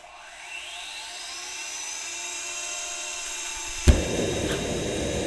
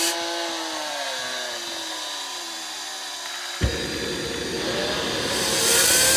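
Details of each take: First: JetCat RC jet turbine after repair of starter clutch, worn bearings and deformed NGV causing blade rub: auto-start now completes normally, smooth starter whine, soft light-off pop, even roar; idle combustion temperature held under 500 °C. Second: JetCat RC jet turbine before repair, auto-start failing so started by air assist: falling whine, sudden light-off roar, climbing spool-up hiss; high idle exhaust temperature from failed starter clutch, worn bearings and starter rubber, turbine blades rubbing a deformed, cracked NGV.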